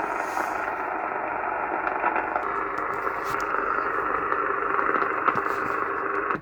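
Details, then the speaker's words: Cobra 2000 GTL CB radio on an aerial, after initially giving no receive: steady hiss and static with faint signals through the speaker, so receive is now working. "[Music] So we do have receive."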